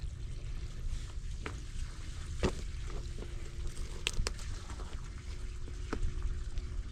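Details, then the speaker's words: Farmhouse well pump at wellhead, air in lines making plumbing sputter, filter just blown out: low steady rumble with gurgling, trickling water and faint hum; owner suspects the pump is sucking air. "It's sucking out. You hear it? Yeah. So I mean, it's still getting air. I think that's what that might be what our issue is."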